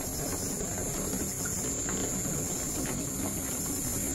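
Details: Newly installed water tank pump with filter at a rental property: steady, even hiss and running water over a low pump hum, with no knocks or surging; the pump runs normally.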